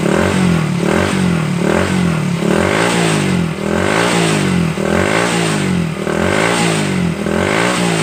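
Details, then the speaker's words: Honda Supra Fit New motorcycle after repair of clattering engine noise (worn cam chain and damaged chain tensioner replaced): small engine revs up and drops back smoothly, no clatter, running clean and healthy. "Guys, mantap kan, suara hilang dan mesin menjadi halus lagi seperti semula."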